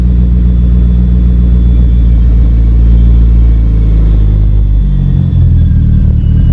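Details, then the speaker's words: DSM Talon after a head gasket and transmission rebuild, after adjusting the idle screw, slightly rich: deep, steady bass rumble with even firing that dips slightly near the end but keeps running; normal idle. "bit on the rich side but it [Music] if I oh it sounds so good I wish you guys can feel the deep bass tone in this car makes this crazy"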